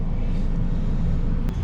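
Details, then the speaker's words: Ford Fairlane driven around the block after first start in two years parked: deep steady engine rumble, no knocks, misses or whines, smooth even power, temperatures fine; engine running healthy. "oh so sweet to drive smooth power I'm gonna just take it around the block"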